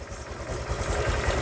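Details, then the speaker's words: Honda Vario 150 after engine rebuild for overheating, coolant loss, rough noise and oil loss: idling after refilling radiator, coolant circulating fast. Smooth even idle with steady low thrum, no tapping or knocking; normal idle. "Oke teman-teman jadi kalau air sudah masuk kita hidupkan ya tunggu beberapa menit ya kan air sampai turun ya kan sambil dicek dia mendidih atau apa nyembur enggak gitu"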